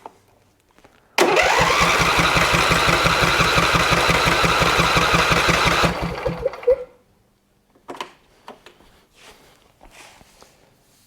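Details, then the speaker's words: Husqvarna lawn tractor twin cranking with one plug grounded for a compression test: steady starter churn with even pulses and no catch, reading only about 25–30 psi; low compression. "where it about 25 psi maybe 30. so not very much so with 30 psi it's not zero so it could be a number of things"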